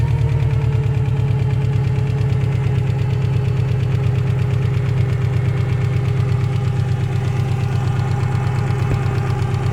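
Steady low cold idle with a dull repetitive knock running under it, a knocking engine from cold with no cause pinned down.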